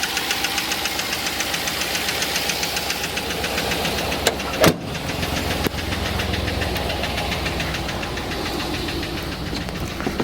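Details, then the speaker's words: Cammed Chevrolet Suburban V8 with DOD, idling and worse in drive: fast, even ticking over a rough, shaking idle, located on one bank; failed lifter causing a misfire, fixed with a DOD delete. "And you guys can't feel it, but the truck's shaking right now because it's causing that misfire. And you can hear it worse right now that I put it in drive."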